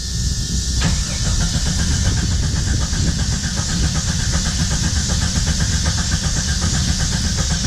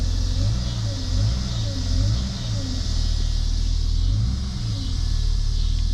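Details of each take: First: 1991 Jeep Cherokee Briarwood sat several years, factory alarm just disarmed by grounding pin: starter churns at quick even beat, engine never catches; fuel starvation, later fixed with new fuel tank, pump, filter and fresh gas. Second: 1991 Jeep Cherokee Briarwood just revived after sitting several years, new fuel tank, pump, filter and fresh gas, oil pressure present: clean pull-ups on throttle blips settling back, deep even exhaust rumble, no knocks or misses; normal running.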